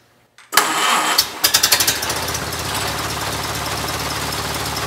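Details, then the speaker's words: Rebuilt 1932 Ford Model B four-cylinder on the stand after new points, retiming and float adjustment: cranks briefly, catches within a second, settles into even steady idle, smooth and quiet, no misses or knocks; normal start and idle. "better smoth quiet smooth and quiet get many many hours and miles of trouble pre motoring"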